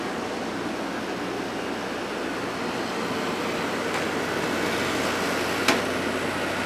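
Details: Hotpoint 8400 BTU window air conditioner (rated 8.3 A) after its damaged, cut power cord was replaced, running on low. Steady, even rush of air over a low fan hum with no rattles or knocks: normal running.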